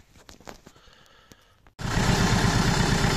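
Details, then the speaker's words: Renault Kangoo 1.5 dCi diesel, rebuilt engine idling rough; cylinder-one injector (used, salvage-bought) connector unplugged: uneven, lumpy beat with one cylinder dropping out, unchanged when unplugged, so that injector is dead and gets a bench-tested replacement. "Собрали двигатель, троит. И сейчас снимаем фишку с форсунки первого цилиндра."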